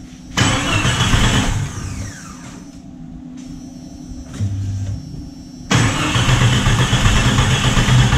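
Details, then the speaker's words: Jeep Cherokee being revived, air box just refitted: cranks and catches, falls away, then restarts into a slightly uneven, choppy idle, no popping or banging, much better than before; rough idle still present. "she's not popping and banging i mean she's a little choppy but i mean i feel like that's figuring itself out"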